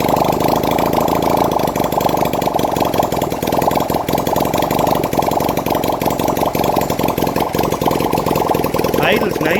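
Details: 1971 Honda CD175 K3 twin under restoration, running on a little fuel put in the carburetor, oil reaching the head: loud, even, fast beat holding steady about ten seconds with no misfires or knocks; normal idle.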